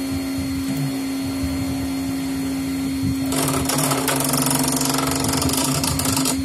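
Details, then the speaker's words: CNC 3018 Pro Z axis steady hum breaking into a harsh, rattling grind as it moves; swapping motors and cables between Z and Y kept the fault on Z, traced to a faulty microstepping motor driver. "sound like it was grinding. At first I thought it was some kind of motor issue, so I swapped motors between Z and Y axis, but the problem stayed in Z axis."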